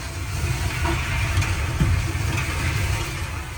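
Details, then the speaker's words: Old free Maytag dryer running with a low drone and dull uneven clunking thumps as the drum rides over support rollers; one roller found badly worn. "Alright, now while the paint's drying, I can work to figure out what's making that like clunking sound."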